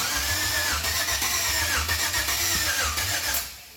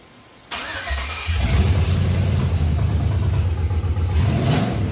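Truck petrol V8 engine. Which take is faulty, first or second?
first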